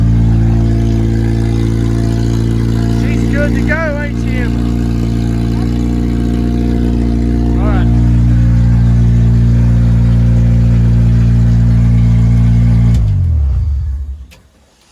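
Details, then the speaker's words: Engine from a 2003 Honda Civic Si EP3 dirt track race car project: a steady, even engine drone with an unchanging pitch for about thirteen seconds before shutting off. Normal, healthy running. "i have to come out here and just crank that and sit in it just because i forgot i start forgetting what a running engine sounds like"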